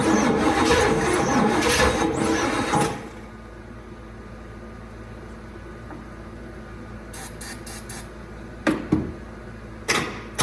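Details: 1979 Cadillac Eldorado with Oldsmobile 350, sat 14 years, very cold, spark confirmed: about three seconds of loud rapid cranking that never catches, then clicks; crank no start, weak battery suspected.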